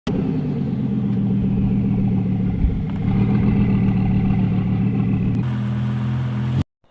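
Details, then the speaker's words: Second-hand BMW 520d diesel with a rough idle that stalls at traffic lights and in slow traffic, before repair: the idle clatters unevenly with a wavering, pulsing rumble. Fuel quantity control valve diagnosed as the cause and replaced with a used unit. "you know, guys, the BMW 520D had a rough idle, so I tried to diagnose this myself. What I did is, so I got what is it? This the fuel quantity control was causing the problem."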